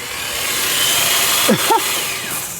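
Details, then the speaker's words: Car on jack stands, key turned: thin high whir spins up with no cranking beat underneath; starter free-spinning and not engaging the flywheel, solenoid to be jumped next. "Alright, that's weird. So it just sounds like it's free spinning. So I'm gonna go under there and try and just jump start the solenoid."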